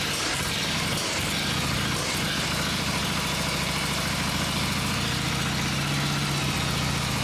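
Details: Vintage Harley Shovelhead V-twin on the stand after full engine and transmission rebuild: steady, even loping idle with no knocks or misses; sounds good, normal healthy idle.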